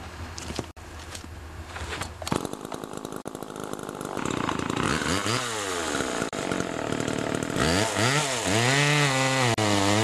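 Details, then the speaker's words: Homelite Super 2 two-stroke chainsaw (Duramark-branded) after an oiler repair with a new duckbill valve, revving and bogging into the cut, pitch dipping and recovering under load; it cuts cleanly and oils the chain well. "anyway she cuts good now she's oiling pretty good now a lot of oil on that chain"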